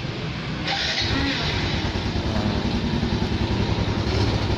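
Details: Yamaha Jupiter Z1 with CR7 alarm installed, started via alarm/switch: engine fires at once and settles into an even, steady single-cylinder idle with no misses or knocks; normal idle.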